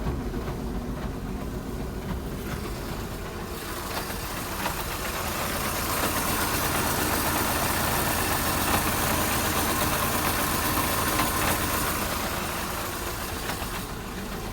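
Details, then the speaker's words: Peugeot Partner van, front wheel jacked up, idling in 5th and 3rd gear with the clutch let up: a steady rough rumble swells and fades as the driven wheel turns, sounding awful; slight sideways play; worn front wheel bearing. "As soon as I let the clutch up, we can hear that. It sounds awful."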